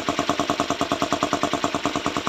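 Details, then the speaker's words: Bajaj Pulsar 125 BS6 motorcycle at idle/low throttle: rough sputtering put-put, about eight pulses a second with a hollow edge, fading at full throttle; air filter was clear, cause is a torn intake pipe leaking air. "तो यही फटने के कारण से क्या है हमारा आवाज़ गड़बड़ गड़बड़ सी कर रहा है"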